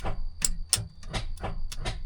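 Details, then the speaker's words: 1978 Kenworth K100 cabover truck, long-stored, jump-wired starter: sharp separate clicks, about seven in two seconds, no cranking, starter solenoid pulling in. Starter solenoid clicking. "Starter solenoid going."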